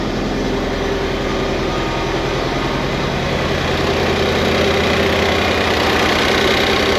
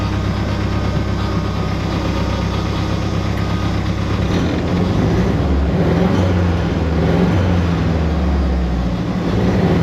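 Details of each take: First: 1988 Ford Festiva with a 1.6 EcoBoost from a Fiesta ST on its stock turbo, idle before warm-up: an even, steady idle with a regular low pulse and no knocks, misses or rattles. Fuel pressure is about 80 psi; healthy idle. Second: '88 Ford Festiva with 1.6 EcoBoost swap from Fiesta ST, idling while warming, fuel pressure about 80 psi: engine drone lifts and hangs instead of settling quickly; slow throttle/idle return, later traced to wiring fault.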